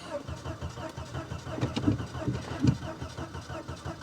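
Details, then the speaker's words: Volvo 240DL that had recently been on the road, with gas in the tank, cranks in steady pulses of about four or five a second but never fires; owner suspects no fuel reaching the engine. "sounds like it's got it sounds like it's got no fuel sounds like it's got a gate to it too"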